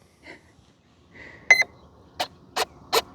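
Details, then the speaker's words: FMS P-51 Voodoo V2 1.1m RC plane on an RCHacker pack: a few short high beeps after the battery is connected, then three sharp chirps. The speed controller arms normally. "oh yeah buddy she initiated sometimes they don't when they're the wrong size"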